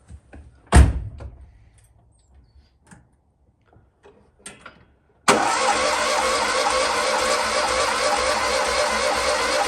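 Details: 126 off the road over 10 years, borrowed battery, petrol poured down the carb, ignition on: a few clicks, then steady rough cranking drone that never settles into a clean run; cranks without starting, later runs briefly then runs out of fuel.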